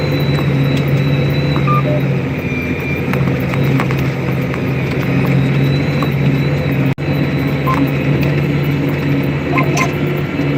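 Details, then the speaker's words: Cab of 380 HP Caterpillar 85D two-track crawler pulling a seven-shank ripper during fall tillage: heavy diesel drone with a few short high beeps; auto-steer warning it's slightly off line while auto-correcting. "When you hear that beeping, it means we're off by a tad. But, you know, it's auto correcting."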